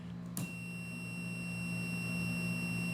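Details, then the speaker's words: Switch clicks on, then a heavy-duty multimeter set to ohms with its continuity alert on gives a steady high beep, confirming a closed circuit through a simple switch on an electrical training board. "you hear that little beeping. Okay, annoying little beep. What that is that makes it kind of convenient that when you're uh when you're sitting inside the cab or something and you're trying to make a connection and everything uh and finally you make a connection meter someplace else and it's like you make the connectio"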